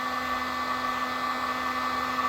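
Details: Heat gun running normally while shrinking heat-shrink tubing over a soldered wire connection during tailgate light wiring: constant airy blow with a steady motor whine that holds pitch throughout.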